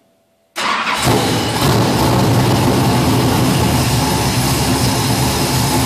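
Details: Lucas Oil Modified race car engine with FIRA FAST EFI, pre-primed after sitting a few days: silence, then a quick crank and clean catch into a strong, steady run with no misses. Normal start and run.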